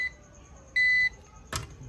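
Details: Old APC 350 W UPS reused as solar inverter: loud piercing beep near 2 kHz from the alarm buzzer repeating on a short cycle; reduced by reversing the speaker's thin film.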